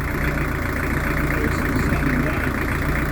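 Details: Newly fitted Beta Marine narrowboat diesel ticking over after first start: slightly uneven, unsettled beat; the installer is not sure about the tickover, possibly idle speed off or it may just need running in.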